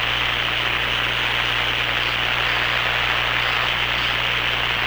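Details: Hammarlund SP-600 receiver after power-supply filter electrolytic capacitor replacement, at 117 V line voltage with B+ being checked: steady, even hiss with a faint low hum and no crackle or popping; normal receiver hiss.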